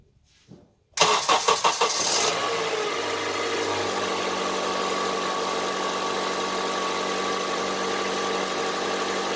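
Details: Honda CR-V III 2.4 engine cranking, catching and settling to idle: rough, diesel-like clatter ticking over the steady idle; engine knock at idle, source unknown.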